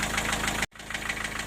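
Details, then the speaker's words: Four-cylinder diesel at idle: sharp, regular light knock riding on the firing beat near cylinder four. It stops for a while after highway driving and returns after standing. The owner suspected a piston pin, then valves. "Ну там же стучит в районе четвёртого что это может быть не понимаю может на поршне палец Ну почему он перестаёт стучать какое-то время по трассе проедешь не стучит постоит потом стучит"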